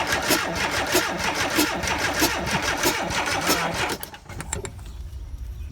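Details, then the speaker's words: VW Vanagon Westfalia engine cranks evenly for about four seconds but never fires; spark is present but no fuel sprays from the injector, and insufficient fuel pressure is suspected, unconfirmed. Crank no-start. "go ahead yeah there's no gas shooting out here whatsoever so I wonder if we don't have enough pressure sorry about that so that did not work"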